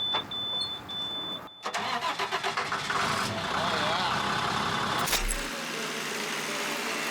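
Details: Bucket truck diesel sitting in a storage yard, batteries charged, started after waiting for the glow plugs to warm: a few seconds of pulsing cranking, then it catches and settles into a steady diesel run; starts and runs fine.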